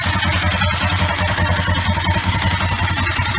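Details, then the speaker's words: Kawasaki ER5 parallel twin after oil, filter, air filter, spark plug and cap service: steady idle, even low pulse about two and a half beats a second, no knocks or misses; running as it should. "so Joe car I think she sounds like she's running as she should um [Music] at least from the Sun plug which is good"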